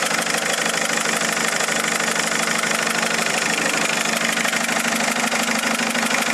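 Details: Mercedes A170 diesel after changing 3 injectors: idle with a hard, rattly tapping about two a second, louder than normal clatter; knocking at idle, cause unknown.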